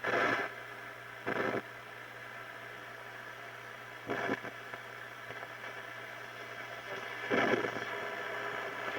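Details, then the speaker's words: 1935 Silvertone Model 1968 13-tube radio after recapping and new power resistors, run at 80 volts and not yet tuned: steady low hum under faint hiss, with loud static crashes from nearby thunderstorm lightning. Working properly. "it seems really good some of that static is uh lightning we got some thunderstorms going"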